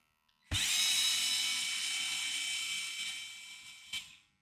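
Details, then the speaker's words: Small cooling fan on a DIY 3D-printer re-spooler controller; high raspy whine climbing slowly and unevenly as it spools up, fan blades dragging on the plastic case that presses on the fan, not wires. "There's no wires rubbing. It's rubbing the plastic. That's what it's doing. This case. Oh my god. The case rubs the fan, and it puts pressure on the fan."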